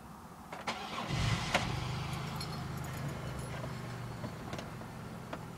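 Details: 2001 Chevrolet Impala: short starter whir with clicks, engine never catches; failing starter, needs a new one; tapping the starter with metal while cranking suggested.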